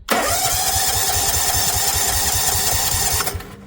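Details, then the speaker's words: Bonser auto truck with a new engine, newly wired starter and relay, before fuelling: even cranking chug at three to four beats a second for three seconds, no firing; starter turns it over strongly. "What a sound. It cranks."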